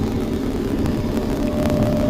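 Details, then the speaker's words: Kenmore Smart dryer after repair: drum turns with a steady, even low hum and no squeal, grinding or knock; the earlier noise came from a failed idler pulley, now replaced. "Pues ahí está ahí lo tenemos el ruido se ha ido el ruido se nos ha ido ya no tenemos ese ruido que teníamos"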